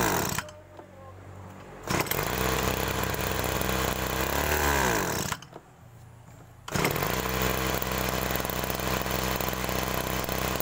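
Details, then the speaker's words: Agricultural sprayer small engine: it idles, then on throttle the revs sag and drag with an "ngok" sound instead of climbing cleanly; carburetor bog, a common fault on sprayer engines. "nah itu tadi ya kasusnya karburator kalau digas itu berbunyi ng terutama kasus seperti ini adalah paling sering terjadi di mesin semprot seperti ini ya"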